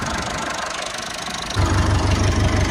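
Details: Massey Ferguson 290 diesel tractor with a no-start from air drawn into the fuel lines: after bleeding the injectors, cranking gives way to a steady, even idle chug with no misfire or stumble.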